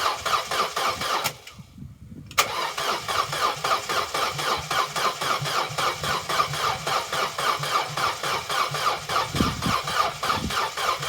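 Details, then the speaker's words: Vauxhall Corsa B left sitting 4-5 years, on one gallon of fresh fuel diluting old fuel: starter cranks evenly at about four beats a second, with a pause, slower than it should, but never catches; crank no start. "it's turning over but it's not turning over as fast as it really should"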